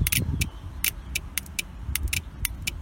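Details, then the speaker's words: Starter relay being bench-wired, black wire clipped to ground and the white wire from the 12 V supply touched to ground: sharp, crisp clicks as the relay energizes. The relay pulls in cleanly and works normally. "you essentially just make a connection between ground that's already connected and the white wire so you'll now hear it click"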